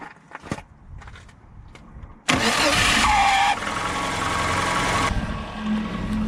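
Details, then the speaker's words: VAZ 2111 (Lada) starter motor: a thin whistle rides over the cranking for about a second before the engine catches; worn, dry starter bushing whistle. "как он может свистеть смотрите вот так вот свистит стартер хотя заведу"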